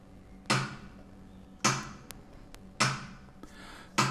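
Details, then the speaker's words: Two TDA7293 chips bridged on a former TDA7294 amplifier board, running hot: sharp single thumps about 52 a minute as the supply cycles its protection. Owner suspects a broken chip, possibly fakes, a bad schematic or no bridge-mode support; unconfirmed. "oh yes this is a very clear situation of one of the ics get or got broke"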